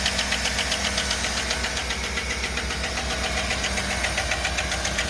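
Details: 2008 5.3 V8, fully cold start, oil pressure 40, hood open: sharp regular ticking about four per second over idle; brought in for lifter noise, common on these engines, collapsed hydraulic lifter suspected.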